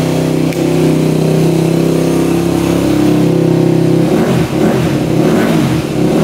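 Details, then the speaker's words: Rebuilt 2001 Yamaha WR250F dirt bike fired on kickstart after hard restarting: brief steady bark, then breaks up and stalls; owner suspects valves not seating properly after machining, possibly lean jetting. "just stopped what the heck"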